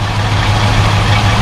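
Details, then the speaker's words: 1972 Mercedes-Benz 280SE 4.5 V8 just after a right-bank (passenger side) valve adjustment for slight tappet noise, idling at about 1,000 rpm after a cold start, heard from outside: smooth, even, quiet idle with no ticking or misses; tappets sound healthy. "Let's go outside and hear what those tappets sound like. All right. Nice quiet engine."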